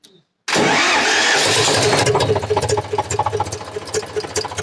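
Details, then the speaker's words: Eicher 485 tractor diesel, hard starting with white smoke and rough running: fires and settles into uneven idle with light repeated clatter from the cylinder head, about 220 a minute; tight valve clearance (tappets). "यह आवाज का मतलब है कि इसका tight है वह कुछ भी नहीं है ओन्ली स्टेप टाइट है"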